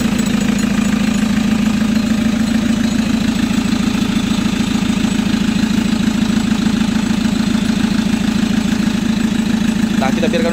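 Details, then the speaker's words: Chevrolet Captiva NFL AWD diesel (latest generation), after repair for a dash warning light and loss of power with turbo, CMP, MAP and P089 fuel-pressure codes, blamed on dirty turbo and fuel paths and a badly fitted turbo hose; turbo parts and injectors cleaned: steady idle clatter, about two pulses a second, no knocks; healthy. "kita biarkan dulu mesinnya nyala."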